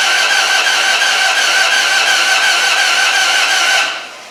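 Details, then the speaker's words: 4.7 HO V8 from an 03-04 Jeep Grand Cherokee, bought for a Dodge Ram 1500, on a JTEC ECM, fuel pump relay just plugged in: starter spins engine evenly for about four seconds without firing; has spark, timing uncertain. Crank no-start, jumped cam timing. "you know the good old days you had a distributor and you just you know either you got spark or you don't i've got spark i don't know if it's at the right time"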